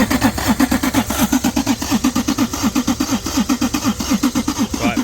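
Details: TVR Tuscan revived after 14 years under cover, new battery and new fuel pipe to pump: starter churns steadily about eighty strokes a minute, engine never fires; spark confirmed, fuel not reaching engine; crank no start, no fuel delivery.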